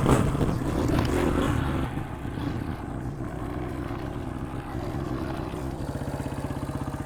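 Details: 2003 Honda CRF150 after replacing the plugged pilot jet and cleaning the carb, choke off, warmed up after a short ride: throttle blip drops back to a steady even putter without stumbling; idle is clean.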